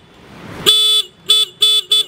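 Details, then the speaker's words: Motorcycle horn after turning its rear adjustment screw to restore volume: four strong clear toots, one long three short, bright steady buzzy pitch, no rattle; horn healthy and loud. "udah keras nih. Kadang-kadang ada klakson itu yang enggak bisa di-setel, berarti dia udah rusak."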